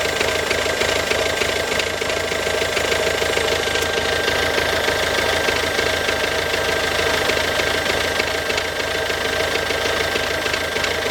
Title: Ford Focus C-Max 2007, 1.6 TDCI, 90HP, engine problems (bad sound)